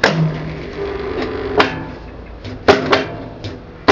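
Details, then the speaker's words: Hoover 200M washing machine, dry-run live after sitting outdoors for weeks: low hum with irregular hard clunks about every second, sounding unhappy; owner suspects the drum clutch solenoid pulling in, not confirmed. "it doesn't sound happy sounds like it's pulling in the solenoid um for the clutch on the drum"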